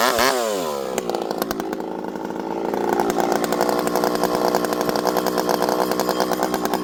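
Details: Rebuilt, ported vintage 064 chainsaw with new piston, clutch and replacement carburetor, 25-inch bar, cutting wood full throttle; screams to high revs and holds a strong even two-stroke note without bogging, pulling hard and fast.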